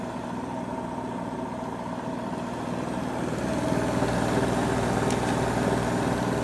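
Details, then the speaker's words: AEG Lavamat Silent System Plus 86850 washing machine, street find, test spin: smooth even hum climbing as drum spins up, no knocking or grinding; quiet motor, faint sand-like sound; slight drum wander, possible spider failure, bearings untested. "it is a wonderfully silent motor i hear that it sounds a bit like sand or something i don't know"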